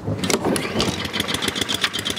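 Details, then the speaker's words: Honda-powered Billy Goat, cold start at about 12°F: sputters into life, then uneven, weakening firing pulses fade toward stalling; cold engine starving because the choke flap won't stay closed unless held. "as long as that flap stays closed you're good to go"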